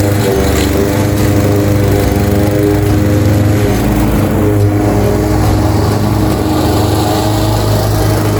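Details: Craftsman 21-inch cut mower, Honda GCV160 5.5 hp, reportedly a non-starter with a dry tank, cutting grass at level-two height: a steady low engine drone with even blade hum, holding speed under load. Healthy; technically nothing was wrong.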